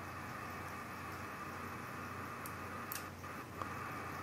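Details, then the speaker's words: SDR-IP direct sampling receiver stepping from 7.0 to 7.05 MHz during calibration; steady hiss with one or two faint dry clicks near three seconds as the band filter relay switches; normal. "When going from 7.0 to 7.05, there is a filter that switches. I can hear the clicking sound from the SDR-IP."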